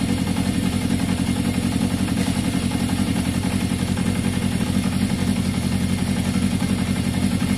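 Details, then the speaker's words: 1981 Yamaha XJ550 motorcycle with intermittent fault, idling during brake-fluid spray test for air leaks: steady even idle holding the same note, no hunting up or down, no rise or fall when sprayed, so no air leak; normal idle. "so definitely nothing to do with airflow there guys you could hear the engine no it didn't change at all so no no it didn't rise it didn't fall"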